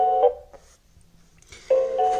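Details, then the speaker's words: Xiaomi Xiaowa robot vacuum on its charging dock: two short electronic chimes with a pause, cycling repeatedly; Wi-Fi light won't blink, won't power on, seems not charging, likely defective out of box. Cause suspected, not confirmed. "ele não tá piscando e fica só andando esse barulho entendeu como se tivesse tentando conectar ao vizinho de cima"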